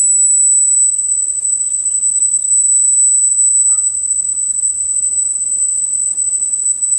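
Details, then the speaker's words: Sony TC-850 reel-to-reel deck, capacitors already replaced, speed calibration: 8 kHz test tone reads 7.89 kHz, slightly flat, so tape runs slightly slow before speed is trimmed up to 8 kHz. "let's try this ok we'll start at playing and of course now we see that seven point eight nine so let's just crank this up until we get to eight"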